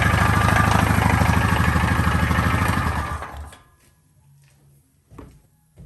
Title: 2013 Honda foreman 500 mystery engine noise, what could it be? See next short